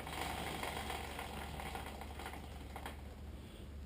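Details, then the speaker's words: Yamaha TW200 after rear drum brake service, wheel spun by hand: rapid rhythmic brushing, about four a second. Rear brake shoes dragging; adjuster needs backing off another notch. "If you hear it drag or if it actually goes like this and just stops or if it pulsates."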